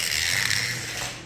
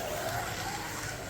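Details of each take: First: Digital slot car, a Viper, running fast on an oval track: thin high buzzing whir with a rubbery, rubber-band-like flutter; gear noise, owner suspects it needs oil or alignment, cause unknown. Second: Digital Maserati slot car lapping an oval track: a steady, smooth motor whine that rises and falls with no stutter or rattle, and it responds even at part throttle, below half throttle; normal running.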